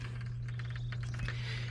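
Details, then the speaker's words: Well pump restarted after ants interfering with the pressure switch contacts were dealt with and the switch sealed temporarily; the switch clicks, then a steady low motor hum with light irregular ticks as water flows in, building tank pressure normally. "for now we can hear that click of the uh power actuator for the wall pump and now the wall pumps running and that little clicking sound is the water coming through building up building up pressure in the tank"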